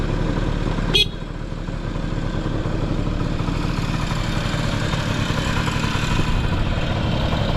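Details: Honda Lead 90 (HF05-1025) vintage scooter engine idling quietly: one brief click, then a soft, low, even putter with no knocks or rattles; normal, healthy idle with no abnormal engine noise.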